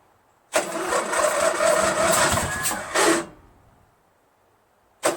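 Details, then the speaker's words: Craftsman LT1000 lawn tractor, freshly rebuilt Briggs 46 opposed-twin engine, first start after running briefly on carb cleaner: starter churns slowly and unevenly about 2.5 seconds, never fires. Battery too weak; owner suspects fuel not reaching it or gas too bad to ignite. "Battery's dead. Battery's not strong enough to start. But I have a feeling that maybe gas is not getting in there, or that gas is so bad it won't ignite."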